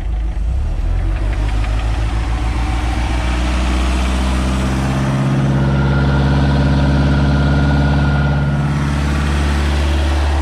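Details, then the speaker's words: MerCruiser Alpha 1 Gen 1 3.0L 140 hp boat engine after a full tune-up (points, condenser, cap, rotor, plugs, wires, oil), throttle opened slightly: deep, steady note with even firing pulses and no misfire or knock; healthy. "Sounds good. Alright. It's got a good idle to it too. Nothing leaking. Give her a little juice."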